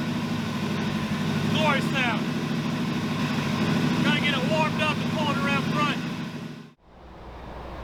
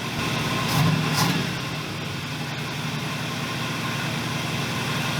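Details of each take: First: 1981 Buick LeSabre, Oldsmobile 307 V8, 200R transmission: lumpy, stumbling idle with uneven beat about three per second, seemingly running on three or four cylinders, needs throttle held to stay running; owner suspects water ingestion from off-roading, unconfirmed. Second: 1981 Buick LeSabre after distributor timing adjustment: short blip, then steady, even idle with smooth low throb, no misses or knocks; running right.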